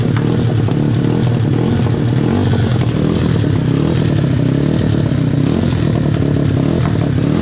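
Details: SSR/Pitster Pro pit bike engine after an in-depth teardown, running outdoors. Busy, even single-cylinder bark holding steady with no clank or knock underneath. Engine runs healthy.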